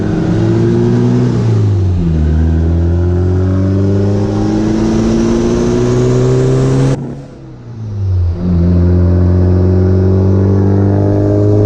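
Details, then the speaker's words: B3000 with new Cummins turbo swap, driven gently: smooth pull through the gears, pitch climbing with each shift, faint turbo whistle; sounds really good, healthy. "it sounds really good it's got a nice whistle to it"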